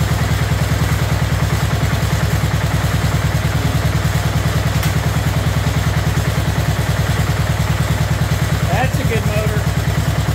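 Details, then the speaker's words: Abandoned 2004 Murray lawn tractor, Briggs 12.5 HP OHV single, first run: steady low thumping with slightly uneven beat, rich and labouring; seemed to miss a little, owner suspects coil too close to flywheel, cleaned flywheel while running. "you saw me cleaning up the flywheel a little bit while it was running with some Scotch bright um it acted like it maybe was missing a little bit"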